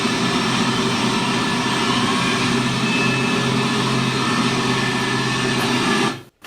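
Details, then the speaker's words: QTR2500 transmission in a test cell under about 10,000 psi pump load: steady, even gear whine that changes pitch on the second-to-third shift, with no clunking or banging; normal gear whine. "at this thing sounds like there's a there's a lot of gear wine with this transmission that's normal"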